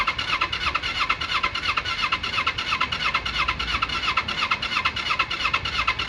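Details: 1995 Kawasaki Eliminator 250 motorcycle, off the road for years with minimal miles, on reserve fuel and full choke: fast, uneven pulsing idle with a raspy, popping edge; rough running, owner suspects spark plugs, battery dying.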